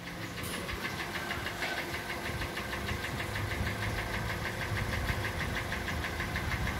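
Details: 2014 Kia Sportage, 2.4 G4NA engine, about 146,800 km, not fully warmed, before repair: quick, fairly steady metallic knock growing as revs rise. Internal engine knock, with scoring suspected.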